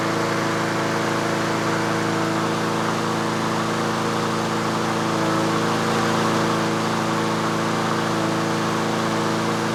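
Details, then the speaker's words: Yard Machines/Yard-Man (MTD) 21-inch self-propelled push mower in for tune-up, warming up just after cold start with choke off, about 3300 rpm per tach: steady even drone, no misses or knocks; normal running at set speed. "so that's the inductive attack it's running about 3300 that's where i normally set them so so so so"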